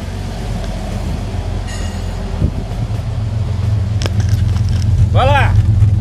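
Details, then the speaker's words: 1966 Chevrolet C10 with the inline six-cylinder engine, heard at the tailpipe: a steady, even low rumble with smooth, regular firing and no misses or knocks. Normal idle. "e existe som mais incrível do que esse 6 cilindros da Chevrolet aqui hum Será que existe"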